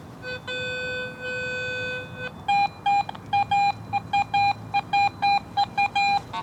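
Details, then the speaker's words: Garrett AT Pro International metal detector in Pro Mode over iron trash: low grunting iron tones give way to a clear high repeating beep from a quarter that stands out, a good target among iron trash. "I'm getting iron trash readings all around that but that quarter, you can really pick it out. It really stands out."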